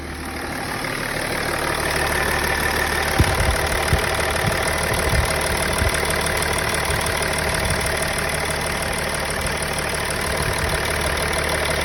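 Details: Engine idling roughly, with irregular stumbles and uneven pulses, when the MAF sensor is plugged in; misfire of unconfirmed cause.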